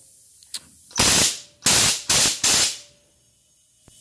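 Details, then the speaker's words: DIY vapor blaster pneumatic solenoid after blasting its internals, operated by foot pedal: four sharp hissing air dumps cutting off cleanly as the cylinders refill; solenoid cycling properly, no leak (background hiss is another cabinet). "there we go you can hear the cylinders refilling dumps a lot of air out there"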